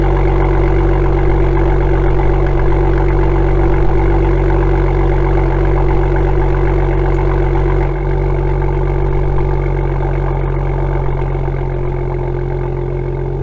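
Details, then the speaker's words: BMW M2 (N55) M Performance exhaust at cold start idle after the fix: tips wrapped in aluminum tape, tapped on snug and bolted tight; steady deep even idle with no buzz or tinny tailpipe vibration. "as you can hear the vibrating noise is now gone it's an easy fix and you can easily do it yourself"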